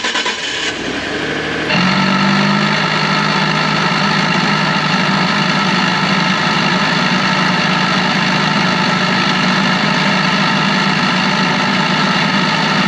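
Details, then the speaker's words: 2012 Ford F150, before repair: engine catches, then a constant buzzing drone from the electric vacuum pump behind the driver's side wheel well rides over the idle; failing pump to be replaced. "Alright guys, the pump is behind this in the driver's side wheel well. I'm going to start it so you guys can hear what it sounds like."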